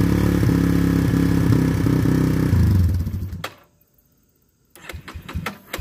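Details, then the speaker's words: Yamaha Warrior ATV single-cylinder, new plug and fresh oil, old carb still fitted, sat a week with fuel on hoping to clean it; owner plans carb swap. Catches, chugs unevenly about three seconds, sags and dies, then clicks: rough running, cause unconfirmed. "i'm gonna try to start it up see if it runs any better than the last week when i had it running although uh i doubt it"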